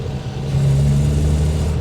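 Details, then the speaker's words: 1962 Rover P4 running again after a roadside breakdown in which something sucked through the engine bay: steady deep even rumble, no misfire, stumble or knock; normal running. "But she's back and she sounds mega."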